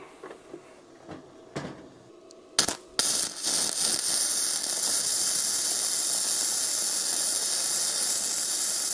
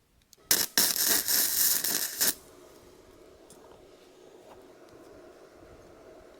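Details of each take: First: Bestarc entry-level gasless flux-core MIG welder on a 20 A circuit, on thick metal: steady, even frying crackle with no sputtering; good weld, still slightly hot. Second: Bestarc entry-level gasless flux-core MIG welder cranked to its maximum 135 amps: about two seconds of loud, harsh crackling and sizzling as the arc burns very hot.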